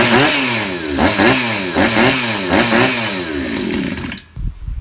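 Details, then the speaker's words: 63cc two-stroke chainsaw with new aftermarket carburetor, light-pull starter and stock coil, first start, choke off: burbly uneven revving blips, stuttering between bursts; too much fuel, running rich, so mixture screw leaned half a turn and idle raised. "เพื่อนๆแล้วนะแบบนี้นะครับคือน้ำมันเข้าเยอะผมจะลดเฮ็ดลงนะครับอีกครึ่งรอบครับ"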